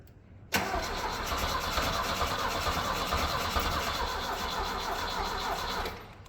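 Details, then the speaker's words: Cheap Mustang skid loader engine, cleaned battery cables, good battery plus jump pack: starter drags the engine over slowly, about three turns a second, for five seconds without catching; slow cranking. "Battery cables of course are cleaned up on a good battery. We have the jump pack and if it doesn't spin over faster now, well, we're not going to be doing so great."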